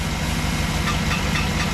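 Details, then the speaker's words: 2008 GMC Yukon XL V8 idling with fan removed; light irregular tinny taps over the rumble like something hitting the fan shroud, not rod knock; cause suspected, not confirmed. "it basically sounds like something's hitting the fan shroud and you can see we don't have a fan and it's kind of a tinny"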